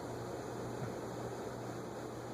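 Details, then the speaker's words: Moss HF-300 Hunter-copy two-speed shaded-pole ceiling fan on a capacitor test rig: low steady hum with a rough, hissy whir from a dry bearing, little oil left in it, needs oiling. "what's that sound almost sounds like bearing noise but it's not that is bearing noise interesting I guess it needs some oil"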